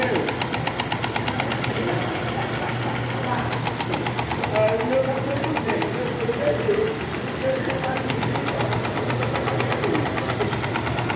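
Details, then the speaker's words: Shineray small single-cylinder motorcycle idling with a loose, uneven "teco teco" tapping rattle from the clutch; the clutch plate teeth are worn, leaving play so the whole clutch assembly knocks. "vou mostrar aqui para vocês o que ocasiona aquele barulho é o desgaste desses dentes sim ela tem uma folga aí fica batendo todo o conjunto fica um pouco uma folguinha"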